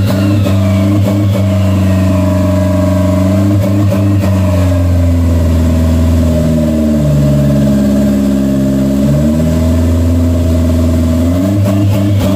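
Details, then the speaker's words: 1992 Toyota MR2 project car, after adjusting throttle cable tension: idle sits a touch high and dips smoothly when the throttle is pushed shut by hand; throttle plate not fully closing causes the high idle. "it's still got a little bit of movement um but it's not fully fully closing all the way still still not closing all the way or maybe it did I don't know"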